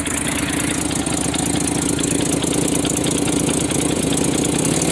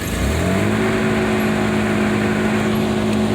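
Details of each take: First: 1993 Nissan Pathfinder 4x4, 5-speed manual, 205,000 miles, idling in neutral: fast, uneven ticking puff riding on the engine beat, steady throughout; exhaust manifold leak. Earlier loud belt-area noise could not be reproduced. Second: 1993 Nissan Pathfinder 4x4, 205k miles, manual 5-speed, on a 100-degree day; even, steady hum with clean tone rising slightly and holding, no knocks or misses; normal smooth running.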